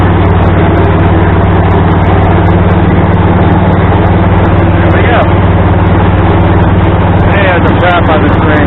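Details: Craftsman tractor with adapted 42 or 48 inch snow blower, belt tightened with a salvaged mower-deck tensioner pulley: even low engine drone with a steady pulse about three beats a second; tractor and blower run smoothly.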